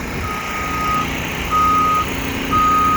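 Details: Reversing alarm on diesel construction machinery excavating a trench for an 18-inch ductile steel watermain in Frankfort, Indiana: clear high-pitched beep about once a second over a low diesel rumble; alarm working normally.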